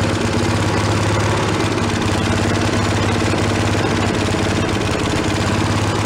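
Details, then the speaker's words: Giant Vac walk-behind leaf blower, probably late-1970s/early-1980s, bought worn from a garage sale, primed from a bottle: high, steady two-stroke buzzing wail at full throttle with no stumbling; normal running. It has no idle circuit. "let's go for a little under full throttle T oh it goes"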